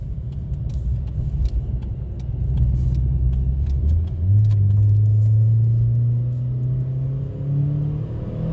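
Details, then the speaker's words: 2012 Chevy Sonic hatchback turbo with a newly installed cheap eBay cat-back exhaust, heard in the cabin at highway speed limit: low, smooth exhaust hum rising steadily in pitch as the car pulls, no drone or rasp, barely audible; healthy exhaust, small leak mentioned. "the exhaust is not Germany at all honestly barely hear it so I think it's good"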